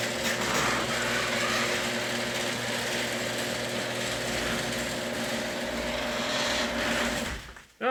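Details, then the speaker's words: Worm-drive garage door opener after spraying lubricant on all contact points: a continuous mid-pitched whirring, steady with no squeal or grinding, about half as loud as before. "right so that's actually about twice as quiet as it was if you believe that so hope this helps everyone have a great day out there and we'll see you next time"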